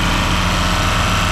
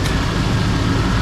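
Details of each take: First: 1991 Chevy 1500 OBS truck with a year-old AC compressor: loud, heavy idle with a harsh, irregular knock about three per second that stops when the engine is shut off; failing AC compressor knocking. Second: 1991 OBS Chevy 1500 after replacing a failed one-year-old AC compressor, recharged with three cans of R134a. Engine runs with the new compressor engaged: an even hum with no knocking, rattle or grinding. Normal, very quiet compressor operation.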